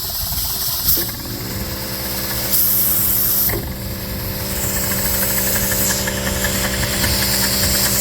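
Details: Dake square-piston steam engine with reversing valve on a capstan drive, running in reverse on compressed air (stated 110 lb); even, regular chuffing with steady hiss, no knocks or clatter. Normal, smooth running.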